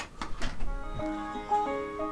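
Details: Samsung LE40B652 LCD TV (T-con 2009FA7M4C4LV0.9) with LCD panel unplugged: short plucked chime tune plays through to its last notes and boot completes; fault isolated to the T-con board.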